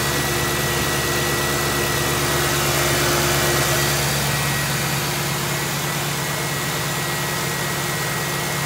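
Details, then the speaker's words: Ford Crown Victoria V8 after oil change to cure a ticking noise, a few metal flakes in old oil: smooth even idle hum with no ticking anywhere; tick gone. "I'd say that's pretty good. I didn't hear it ticking at all at the end."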